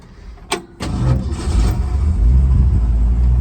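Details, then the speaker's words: 1964 Ford Ranchero V8 with factory four-speed starts after a 2-hour drive in traffic: short crank, catches at once, and settles into a deep, steady, even idle with no knocks or misses. No leaks; normal start and idle. "Starts right up and runs nice. The gentleman just drove it here from northern Massachusetts in traffic."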